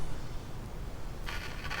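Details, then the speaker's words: Philips 353A FM valve radio, not yet recapped, with the EL84 plate reading 232 V against the 260 V specified: rough, irregular speaker crackling with a burst of hiss. The crackle source has not been found. "Yeah, we've got crackles. But that sounds a whole lot more promising."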